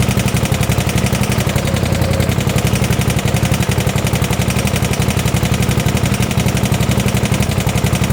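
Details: 1972 Gravely 816 tractor with Kohler Command 18 engine, just started after cutting the carb end: loud regular knock about four beats a second at low idle; power steering not working; motor considered blown up, likely why it was parked.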